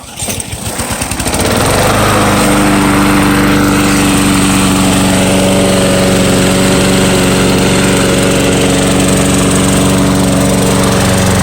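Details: Free curb-find walk-behind lawn mower pull-started and picking up within two seconds, then holding a steady, even drone with no hunting. Runs normally.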